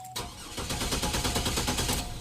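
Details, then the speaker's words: Chevy Trailblazer with hard starting after a long trip, after sitting about 20 minutes: steady, even starter cranking pulses grind on far too long; hard start traced to low fuel pressure. "Taking way too long. If you grind it too long on the starter like that, and it's hard on the starter."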